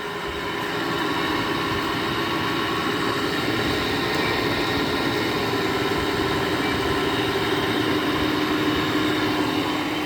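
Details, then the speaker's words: 2009 GE air conditioner, first start in a year, stiff fan motor sprayed with WD-40: after running smoothly, a steady heavy rumbling roar with gritty drone appears; owner suspects the back fan motor bearing. "that was random it was running nice and smooth and then we just had that loud bearing noise"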